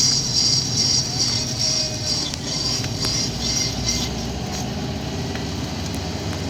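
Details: Subaru WRX turning right without braking: high, pulsing metallic squeal over low road rumble, persistent and coming from the left rear corner.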